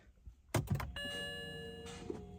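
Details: BMW E90 3 Series with N52 engine, battery fully charged and load-tested good, brake pressed and start button pushed: a couple of switch clicks, then only a steady electrical hum with no cranking; no-crank, no-start, starter circuit under suspicion.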